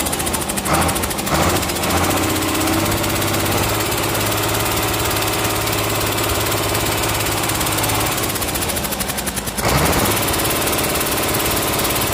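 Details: Komatsu S6D125 diesel on test stand after general overhaul (broken No.5 piston, spun No.4 conrod bearing; crankshaft, liners, pistons, conrods, bearings replaced; turbo repaired, FIP and nozzles calibrated); steady even clatter, firm low beat, no knocks or misses; normal running.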